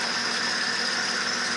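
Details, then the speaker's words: Acura TL 3.5 V6 with a cylinder 5 misfire, started after moving the suspect coil from cylinder 5 to 4. A steady high-pitched belt squeal rides over an even idle. Belt squeal at idle. "Sorry for the noisy belt. Not much I can do about it."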